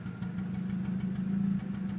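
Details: VW AZH engine at low idle, stumbling and dipping every so often instead of running evenly; misfire, cause unknown.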